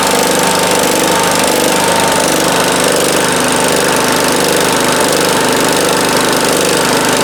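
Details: 1971 John Deere 140H3 with Kohler K321 engine, after a carburetor rebuild and new float because fuel was pouring out. It runs with a steady, even single-cylinder beat at low idle and with more throttle, jets opened slightly.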